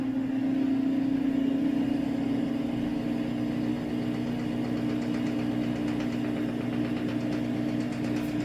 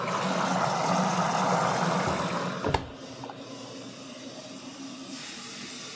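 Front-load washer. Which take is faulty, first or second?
first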